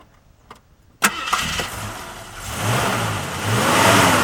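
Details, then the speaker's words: 1977 AMC AMX Hornet barn find, heard under the hood; brief crank, fires at once, settles into smooth idle with a couple of easy revs; starts healthy. "We'll start it up real fast, and you can hear it running underneath the hood. It starts up really nice."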